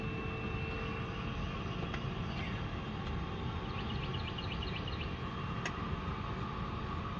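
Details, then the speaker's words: 1967 Mustang, ignition on: an even, steady rushing whoosh with no squeal, scrape or ticking; fan works in all positions and defrost works. Normal blower operation. "Okay, defrost works. Fan works in all positions."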